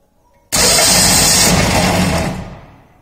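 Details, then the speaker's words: Starter motor bench-tested on a 12 V battery supply with a flywheel loading mechanism, no load applied: sharp onset into a high whirring spin of about two seconds, then winds down freely. Draws around 100 A, a healthy unloaded run. "so it's around 100 ampere when there is no load it's running free"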